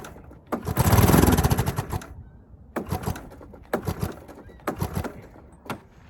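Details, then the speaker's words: 1983 Honda ATC 200S crank-no-start on propped-up machine: one longer pull then short cranking bursts about once a second, never catches; owner suspects carb needs cleaning and intake valve seems really loose, plans valve adjustment. "okay so we're gonna end up having to clean the carb and i think we should adjust the valves while we're in there because the intake valve seems uh really loose"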